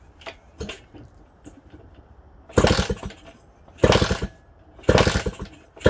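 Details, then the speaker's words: Suzuki DS100/DS80 dirt bike being revived, carb primed with fuel and choke on, kick-started: four or five hard kicks about a second apart, each a brief churn that never catches; feels low on compression, no spark at the plug. "There's like no spark. D.I.Y ignition too. All right, no sparky. And that's our problem. No spark."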